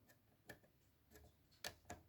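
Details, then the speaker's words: Yamaha A-460 stereo amplifier, right channel fault. Sharp dry irregular clicks, about four in two seconds: the protection relay drops out because of cold solder joints on the STK3042 MKII output module; fix was resoldering the terminals. "So that means if I will move this terminal you can see how it's moving. Yeah. So here is a cold joint."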